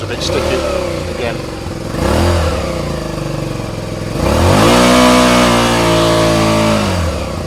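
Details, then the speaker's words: Suzuki SV650 motorcycle, cold engine without choke, loud exhaust, sound test: revs climb and hang before sagging slowly back to idle; throttle seems to be sticking, cause not confirmed. "engine on that's with no choke it's quite cold that's what it sounds like throttle's a bit"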